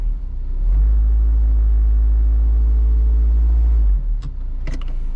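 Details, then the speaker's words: Worn engine mount: a heavy low droning boom at idle in gear, loudest in reverse and park, less in drive. The vibration varies with engine RPM and is felt in the seat. "Not so much there in drive, but definitely in reverse and in park. I mean, you can really hear it."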